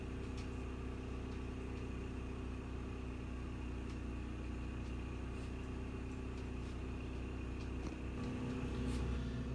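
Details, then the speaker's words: Champion 3400 W dual fuel inverter generator (model 100263), new unit, shipped with damaged regulator; heard from outside speeding up under microwave load, steady low quiet hum, normal running under load. "I can hear this generator speed up outside but certainly not very loud"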